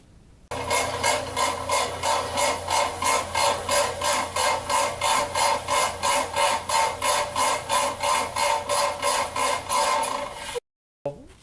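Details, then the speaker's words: Whirlpool LSR7233DQ0 top-load washer: loud, even ratcheting clack about three per second as agitator swings; worn agitator shaft cam dogs. "And the problem with this machine is that it started to develop a very heavy ratcheting sound that sounded like this."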